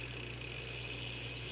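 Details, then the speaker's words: Bicycle freecoaster rear hub spinning freely while coasting, with unlimited slack when coasting and none pedaling forward: fine, even pawl ticking with no grinding or skipping; healthy freecoaster. "So now you can literally pedal it forward because you have unlimited slack while it's coasting."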